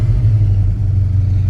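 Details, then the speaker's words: 1973 Mach 1 with a transplanted 351W and an aftermarket Holley 750 CFM 4-barrel (vacuum secondaries) with electric choke, after a cold start that ran rich: the electric choke has opened and the V8 now idles with a deep, even rumble. Normal warm idle. "if the engine now is no longer rumbling it's running real smooth that's because the choke eventually opened up"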